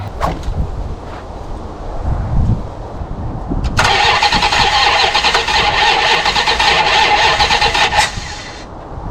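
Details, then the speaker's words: 1974 Plymouth Satellite Sebring Plus off the road about 20 years, first start attempt on poured-in fuel: sharp pops while cranking, ragged rough run about four seconds then dies; backfire because plug wires are in the wrong firing order. "firing order's off so I need to go ahead and move the plug wires over because we're getting a little bit of backfire poppage"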